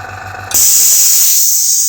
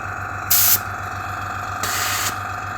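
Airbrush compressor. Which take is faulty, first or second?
first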